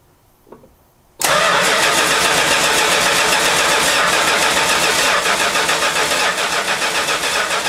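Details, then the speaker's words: 1971 Chrysler New Yorker after fuel tank, sender, pump and AVS 2 carburetor replacement, first start after 5 months stored: starter churns steadily three to four pulls a second, engine never catches; carburetor fuel bowl dry. "oh no she dries a bone okay i must fill up the fuel bowl"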